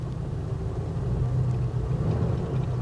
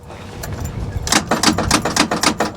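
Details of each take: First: 1983 car from a salvage auction, engine unconfirmed (guessed 5.0 V8, possibly fuel injected), started on its own: a smooth, very quiet, even low rumble at idle with no ticks or knocks. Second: Salvage-auction car with a manual transmission, sitting with wheels not turning: turning the key gives only a rapid train of sharp clicks, about four per second, with no cranking; the engine sounds locked up (seized).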